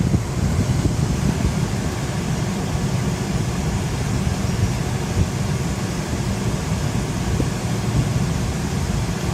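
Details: 2005 Range Rover with A/C blowing no cold air, fixed by replacing the HVAC water control valve: blower cranked to high gives a steady low rushing air roar with an even tone, no rattles or grinding.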